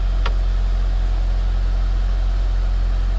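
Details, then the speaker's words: 2011 Mitsubishi Eclipse 2.4L, first run after new timing belt fitted following crank-no-start: steady, smooth low hum with even pulse, no knocks or ticks; normal idle. "It's running, guys. Seems to be running pretty smooth. This is awesome."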